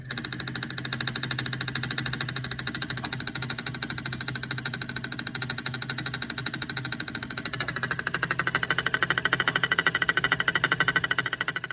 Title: Here's what a bad EGR valve sounds like (P0404)